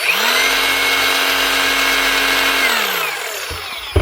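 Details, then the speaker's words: New Hikoki DH40MEY2 brushless rotary hammer, run before teardown: smooth, steady motor whine at an even pitch, then a clean spin-down with no knocks or grinding; quieter running credited to the brushless motor, normal. "But these things do actually run a lot quieter."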